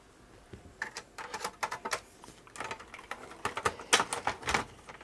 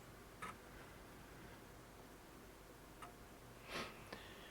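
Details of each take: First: Amiga 600 after re-capping, game disk inserted: quiet room, irregular bursts of sharp ticks and clicks as the floppy head steps, drive seeking and reading; game then crashed, disk condition unknown. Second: Untested Amiga 600 after re-capping SMD capacitors, first power-on with no disk: a few faint dry ticks seconds apart in a quiet room, empty floppy drive seeking normally.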